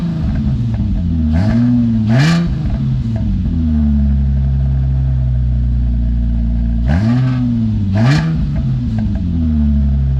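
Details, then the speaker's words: Infiniti G35 drift build, exhaust with X-pipe mid pipe just reinstalled (reused gaskets, slip joints unclamped, caps removed): deep smooth idle and clean blips, quiet, slightly tinny, no rattles or leaks. "that sounds good. It's pretty quiet. It sounds a little like tinny, but it's definitely quiet, which is gonna be awesome."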